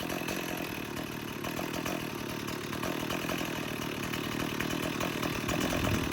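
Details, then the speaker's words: 1989 Stihl 026 two-stroke chainsaw, about 30-35 years old, breaking in: steady high-idle buzz, slightly uneven but clean; normal running. "I'll show you the other air filter that it had while that thing's breaking in. You can still hear it running."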